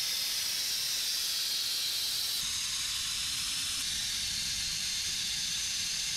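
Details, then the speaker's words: Vacuum brake bleeder on a 1961 Chevrolet Parkwood wagon build: steady hard air hiss with no sputter, pulling fluid well and dropping the freshly topped-off reservoir quickly, no leak seen; bleeder working normally. "yeah it's pulling fluid good on this side dropping it pretty quick cuz I just topped that off"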